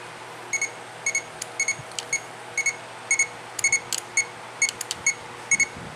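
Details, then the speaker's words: 1996 Jeep Grand Cherokee while wiring off-road lights to the high-beam switch: short sharp clicks in uneven pairs as the switch is flipped, with faint chirps between; the relay is switching normally. "so yeah you can hear the relay clicking so ready turn on your headlights"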